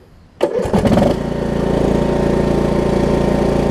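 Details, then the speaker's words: Craftsman T2200 lawn tractor, about 5–6 years old, 19 hp Briggs & Stratton engine, run an hour earlier; brief crank, catches within a second, settles into steady even idle with no hunting. "i did have it running maybe an hour ago so nothing started right up for us"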